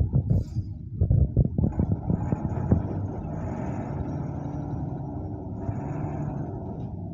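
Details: Mercedes 917 truck, OM366 diesel, just rebuilt with new piston rings and bearings, in break-in: deep, steady low rumble settling into an even idle after a few rough blips; normal diesel idle.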